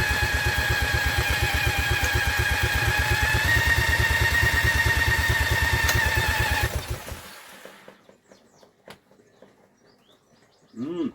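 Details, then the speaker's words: Vintage Douglas engine, cold start after 40 years under a hedge, spun with an electric drill, carb jets recleaned: it catches and chugs roughly for about six seconds, then dies; owner suspects flooding, and the engine stalls after starting. "sounds like she is trying to kill you know [Applause] she is definitely trying her best to do something for us isn't it I have a sneaky feeling it's flooding though sneaky feeling it's flooding"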